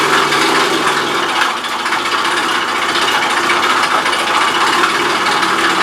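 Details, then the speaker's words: Rex RS500 Speed scooter after fitting the carburetor and refilling fresh fuel (old fuel possibly mixed with water): fast metallic rattling chatter over thin high-pitched small engine, constant; knocking rattle from inside engine, cause not yet found. "okay das hört sich nicht gerade gut an lasst uns mal nachgucken"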